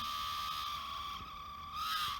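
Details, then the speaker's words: RocHobby Katana RC crawler, old motor on the bench; steady high-pitched squeal at one pitch, rising briefly near end over faint hum; old motor causing vibration and squeal through plastic gears and driveline, versus quiet new motor. "Alright, so new motor I think is going to really help with the sound."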